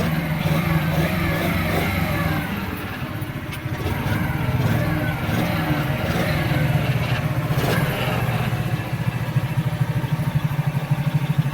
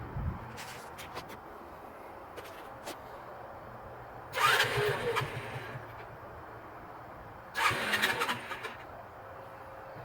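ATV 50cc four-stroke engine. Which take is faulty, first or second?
second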